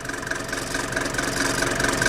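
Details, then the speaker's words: Mercedes T1 310D/308D with OM601/OM602 diesel after throttle system overhaul: steady idle with a quick light rattle on each firing pulse from throttle linkage still set slightly too loose. "But as you can hear, there's still a little bit of rattle on there. So that's almost because that's still a little bit too loose."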